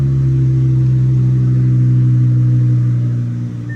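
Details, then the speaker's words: Twin-turbo Audi R8 V10 with straight-pipe exhaust, just started after a dead battery and long storage: deep, loud, steady unbroken drone easing slightly at the end, with exhaust smoke; normal healthy idle, just very loud. "Clearly the Cullen is not a fan of all that noise, but the R8 is straight pipe. That's why you get all that smoke in here."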